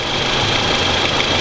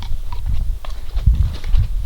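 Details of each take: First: Toyota Camry 2AZ-FE petrol engine idling with a busy, rattly metallic clatter: a worn, slack timing chain knocking, replaced; owner believes the VVT-i valve is the root cause. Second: Toyota Camry 2AZ-FE engine at idle after the timing chain was replaced: chain knock gone, runs quieter and steady, but the hesitation on throttle remains; owner suspects the VVT-i valve.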